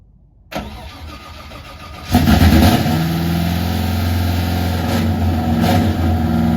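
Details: Nissan 350Z drift car with fresh untested LS V8 swap, started via Holley because keypad suspected faulty: starter cranks briefly, then the V8 catches, flares and settles into a steady, even lumpy idle; normal start and idle.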